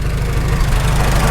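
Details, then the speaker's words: Farmall H tractor on its first start after an engine rebuild: a low rough idle with a steady growling rumble underneath. It goes away when the clutch pedal is pressed; suspected mismatched constant-mesh gears at the front of the transmission. "I don't know if you can hear it we got a r r r pretty sure that's our constant mesh gears at the front of the transmission clutch pedal Mak it go away"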